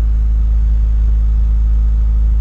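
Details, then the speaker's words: 1990 Honda Civic after charging system repair with a new alternator, warming up at idle: deep, even rumble with no ticks, knocks or the previous alternator whine; smooth idle. "it sounds good sweet and no more whining from the alternator"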